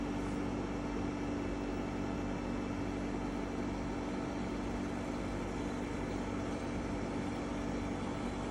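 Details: EcoFlow WAVE running with a constant loud hum and steady droning tone that never changes; unit is far noisier than it should be.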